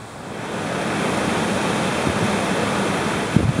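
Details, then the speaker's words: Car interior AC/heat blower motor, removed and tested, spins up smoothly with steady rushing air and no rattle, squeal or grinding, before reinstalling. "I don't hear any noise this sounds really good so I'm gonna shut this off and we'll install it"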